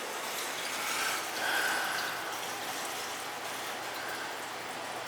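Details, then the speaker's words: Gas-fired hydronic boiler heating zone: back-flushing the return line through a hose (three 25-foot hoses, about 75 ft, run outside) to purge air; soft, even rush of water with a faint trickle as air clears from the return. "Probably best to back flush it first. Make sure that there's no air in on the return. Get the back flush the return first, good."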